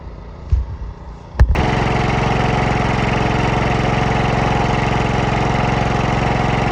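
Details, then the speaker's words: Cub Cadet 104 mower, ant infested and sitting many years, fresh gas poured in: a couple of cranking thumps, then it fires into a steady, slightly uneven idle, running only on choke; fuel starvation suspected. "But it's running with the choke on right now. So, we'll see if it That's, you know, I mean that means it's not getting fuel."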